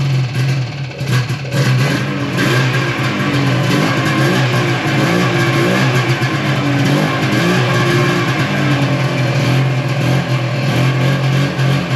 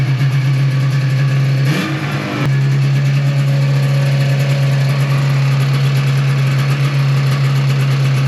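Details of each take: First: 1995 Yamaha Phazer II two-stroke snowmobile after sitting five years, rear lowered to get more fuel to it: revs wander and never hold steady, running lean; fuel starvation, owner unsure whether low tank level or dirty carburetor jet. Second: 1995 Yamaha Phazer 2 two-stroke snowmobile, rear end off the ground, running steady and even with one quick rev and clean return to idle after five years sitting, choke used; carbs were bone dry, runs healthy.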